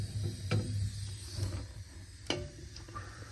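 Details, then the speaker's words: Double-barrel waste oil burner, pot just lit with a torch, stove at 77°, warming up before the oil feed starts: irregular soft pops and crackles over a low rumble, like water starting to boil; normal warm-up crackle. "you'll start hearing it kind of boil and crackle almost sounds like water starting to boil and then we'll start our feed"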